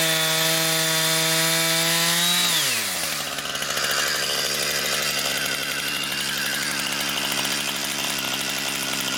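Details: Brand-new Husqvarna 460 Rancher chainsaw on its first run, cutting firewood: a high steady buzz at full throttle that drops and roughens as the chain bites, then pulls through cleanly. It is a strong, healthy saw.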